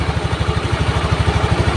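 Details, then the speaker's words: Honda Beat injection scooter, single cylinder, idling evenly at about ten beats a second with no misses after a faulty wiring path that killed electrics and ignition was fixed; charging reads about 12.56 V, normal. "Oke, ini motor sudah hidup, pengisian sudah normal, kabel-kabel dikembalikan seperti semula ya."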